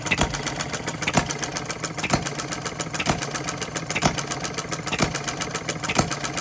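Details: Small Coles engine, flywheel loosening from shaking; regular slow firing about once a second with crisp ticking between beats, even and steady; starts right up, owner 99% pleased, normal running.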